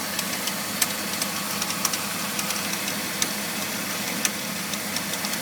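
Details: BMW E46 325i inline-six at smooth idle: uneven sharp clicks and rattles about once per second from the engine bay, began after replacing pulleys, serpentine belt, radiator and power steering pump; cause unknown.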